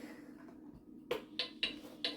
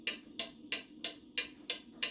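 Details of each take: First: That does not sound like a clock in beat, which goes tick tock, tick tock. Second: Antique pendulum mantel clock that had been out of beat, lifted on one side until the beat evens out: crisp, even tick-tock about three per second. Clock now in beat.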